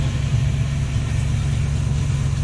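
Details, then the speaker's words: Luhrs 28 boat with 350 Chevy engines, throttle pulled down from about 1,000 rpm after lubing shift and throttle cables: low loping idle that sags and almost dies; owner says it always does that; rough idle near stall. "Oh, that one wants to die. It always does that. You bring it down, it goes almost dies."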